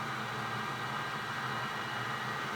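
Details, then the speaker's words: Old Bridgeport 1J 9x42 vertical milling machine bench-checked to prove it runs: spindle in high gear gives a smooth, steady whirring hum with no knocks, rattles or rising whine; normal spindle running. "Hey, we got an old Bridgeport 1J, and we just wanted to put a video on eBay so everybody knows it runs."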